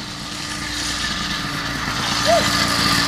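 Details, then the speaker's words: 80cc motorized bicycle two-stroke after clutch rebuild (bearings regreased, retaining nut threads locktited for more pressure plate pressure): quick, steady buzzing idle with no bogging, surging or clutch grab; idle unchanged and running much better. "idle no change at all very good how is it running better way better right now early very happy"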